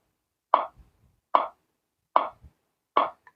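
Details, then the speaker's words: Megaphone loudspeaker with two batteries that won't stay on, though the charger shows full charge: each press of the power button gives one sharp tick and it shuts off; batteries suspected discharged. "यह टिक टिक की आवाज आ रही है। एक बार दबाकर छोड़ दे रहे हैं। तो एक बार टिक से आवाज करके और बंद हो जा रहा है।"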